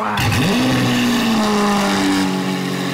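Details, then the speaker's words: Lamborghini Aventador SV under rebuild, first start, engine cold: fires and blips with cold revs well below redline, pitch rising then sagging and wavering on a raw exhaust; rough cold running, thought to be choking because just started. "yeah because it was kind of like uh choking out or something yeah because it was just freshly started you know what I mean it started still cold and stuff like that"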